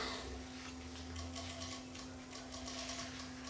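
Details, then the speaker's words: Yamaha CDC-S90 CD player under repair; quick irregular clicks over a low hum as the sled gear tries to move the optical pickup in and out, but the pickup is sticking. "we can see the gear here is trying to uh move the optical pickup it keeps trying to move the optical pickup in or try to move the optical pickup out it looks like it's sticking right"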